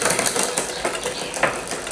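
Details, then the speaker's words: Bicycle rear derailleur on the workshop stand: dry ratcheting clicks and chain chatter, the chain slamming down on downshifts and failing to climb on upshift; shifter cable tension is too low. "You hear how much that slam down there? That already tells you there's not enough tension. Plus, it obviously won't go up there now."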